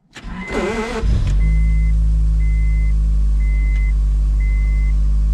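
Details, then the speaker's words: Newly bought Honda Prelude, cold start, check engine light on but not yet checked: brief crank, quick catch, then a steady even idle with a faint repeating beep; starts and idles well cold. "so it seems to start an idle pretty good for a cold start and uh that's a good thing"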